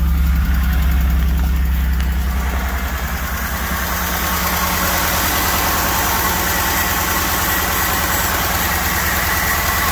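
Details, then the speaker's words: BMW E39 cold start after a new clutch install, following cranking trouble from a stuck starter solenoid: steady but uneven, lumpy low idle; running rough, cause unclear. "it's running [Music] not sounding too good"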